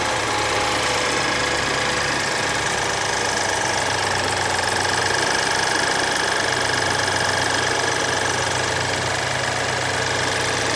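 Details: 2011 BMW F10 with N20B20 four-cylinder petrol engine idling with a fast, busy rattle and ticking over the steady run from worn timing chain, before replacement.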